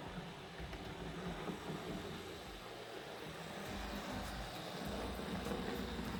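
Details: Fleischmann V100 switcher model locomotive after service and tune-up, at low speed: soft, even motor hum with light rail ticks, no surging or stutter. Running very smooth; the service helped.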